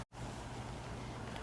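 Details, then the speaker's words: Kawasaki small air-cooled twin, reassembled after carburetor and fuel-system work (nothing was wrong beforehand), fuel on: a steady, even low putter with no misses or surging. Runs as well as ever. Normal running. "let's see fuel on yeah it runs just as good as it ever"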